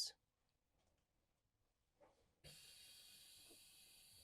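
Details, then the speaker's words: Newmar 2027 King Aire diesel pusher: after a quiet stretch, a steady even hiss as air dumps from the suspension airbags when leveling begins and the jacks extend; normal air suspension dump. "You can hear the air dumping out of the airbags."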